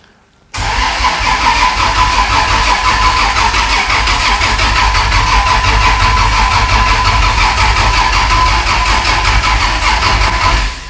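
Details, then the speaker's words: Vancruiser fresh engine on aftermarket Haltech ECU, first start attempt, cranking to build oil pressure on an 11.5-volt battery in the passenger seat: about ten seconds of slow, laboured turning over with no catch; weak battery. "I don't know about the battery, it's in the passenger seat and it's only got 11.5 volts, so it might not go far yet."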